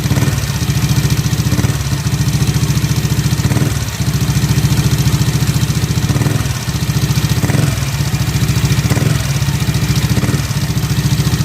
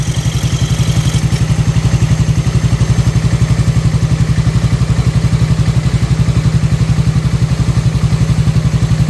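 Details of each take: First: Yamaha NMAX scooter idling before cylinder head teardown: light, quick top-end tek-tek tick over the low exhaust thrum, from a worn rocker arm bearing (loose valve clearance also suspected). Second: Yamaha NMAX scooter engine after repair of a rough tek-tek noise; idles with a steady, even low thump and no ticking from the valve area.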